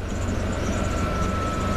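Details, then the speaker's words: 1991 Ford F250 blower motor on maximum: steady whooshing airflow with faint high motor whine, speed rising after switching off and on; fuses good, blower intermittently cuts on and off, owner suspects motor, resistor, connector or control switch. "See, and actually, it actually cranked up a little bit higher, just turning it off and turning it on. I've noticed it doing that."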